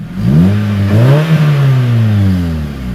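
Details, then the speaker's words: Car revving with a newly welded exhaust: smooth, even revs climbing and settling with a deep, steady drone, no knocks or rattles; healthy engine, sounds good. "Ooh! That sounds so good."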